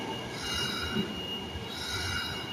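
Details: Osaka Metro Tanimachi Line train arriving at Dainichi Station platform 1, bound for Yaominami: a thin, high-pitched wheel squeal rises and fades over the rumble of the train pulling in; cause unknown.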